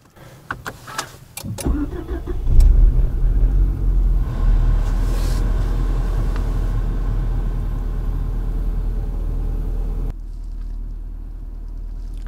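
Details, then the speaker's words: Renault Arkana with a manual gearbox, cold start after a night of -17 to -21°C frost with the clutch pressed: starts a bit stiffly within a second or two, then idles steadily with no unusual noises or knocks; a normal cold start. "так внешне конечно завелась и завелась никаких выразительных шумах никаких стуков"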